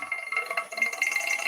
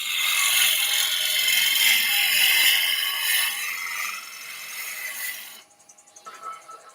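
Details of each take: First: Woodturning lathe: harsh high rattle with thin ringing tone as the gouge bounces, chatter caused by forcing the gouge too hard into the wood; cutting freely gives no bounce. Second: Woodturning lathe, gouge cutting freely without being forced: steady bright shearing hiss with no chatter or bouncing knocks, unlike the vibration heard when the gouge is pushed too hard.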